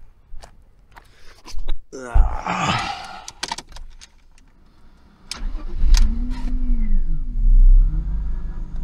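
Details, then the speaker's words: BMW E46 323i with reassembled M52B25 inline-six, throttle body not yet cleaned, one hose still to replace, no leaks: clicks, short crank, catches and settles into smooth idle with gentle revs; owner says it runs superbly, normal start. "Si běhá to úplně superově. Ten zvuk je úplně super."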